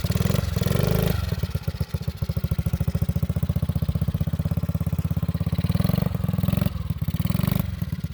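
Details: Vintage Honda Z50 mini bike, restored after years sitting in a field and barn, ridden in gear: crisp, even single-cylinder putter with revs rising and falling smoothly, no knocks or misfires; healthy running.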